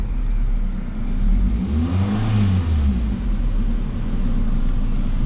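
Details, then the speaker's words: Mazda 3 after replacing ignition coil that caused long-standing misfire, check-engine code cleared: engine picks up cleanly on the blip and drops back evenly, no stumble or popping; ignition healthy now. "simula ng napalitan natin ng coil ignition coil ang talaga naging problema"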